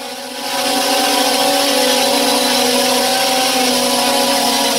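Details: Restored JJRC X17 drone hovering after repair with replaced arm: even high-pitched rotor buzz, no wavering or rattling; all motors healthy. Normal running.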